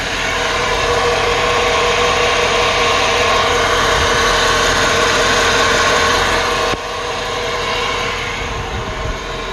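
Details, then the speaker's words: Engine idling with the hood open gives a steady, mid-pitched whir from one side of the engine bay, with no knocking. The source is unclear, and the serpentine belt was fairly new. "it's like a whirring sound i'm hearing over from over on this side"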